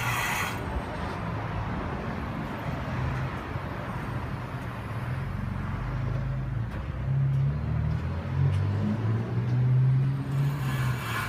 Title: Bad Wheel Bearing Noise